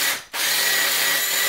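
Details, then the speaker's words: Harbor Freight Bauer 20V lithium-ion drill, about 5–6 months old: loud high-pitched rattling whir with a harsh gritty edge through the run-up. Abnormal mechanism noise; owner suspects sand in the mechanism from shore work, not yet opened. "Yeah, that doesn't sound good. I haven't gotten in there yet to see what the hell happened, but odds are, given the fact that there's these big ridges in it, and a lot of the work I do is at the shore around sand, I have a feeling there's probably just some sand in the mechanism that I can clean out relatively easily."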